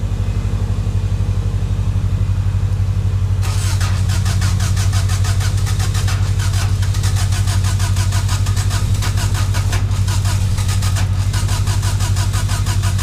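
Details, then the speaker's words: Freshly installed EJ20G engine in a Subaru wagon with a Robtune ECU and MSD coil pack catches on first start and settles to a steady, even beat near four pulses a second with no knocks; 90 psi oil pressure, warming nicely. "all right so everything's everything's working great it actually sounds really good it's almost already up to operating"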